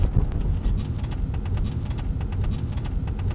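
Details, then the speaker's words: Older Hyundai Grandeur TG: short, sharp creaks over road rumble from behind the rear seat. The frame welds seem to have broken, causing play and steel-on-steel rubbing; a slight noise also came from the rear shelf. "주요 원인은 시트 뒤쪽에 프레임 쪽이었습니다 차가 오래되고 노후가 되다 보니까 용접 같은게 떨어진 것 같아요 유격도 많이 발생하고 그러므로 인해서 철판과 철판에 마찰음이라고 생각하시면 되고요"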